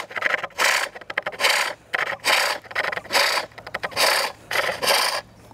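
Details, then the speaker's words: Bowl turning on a pole lathe with a hook tool: rasping cuts about once a second, broken by rattling chatter where the tool meets a harder bit of wood, possibly a knot. "almost sounds like there's a harder bit of the wood where you could hear it chattering maybe sometimes that sounds like a knot"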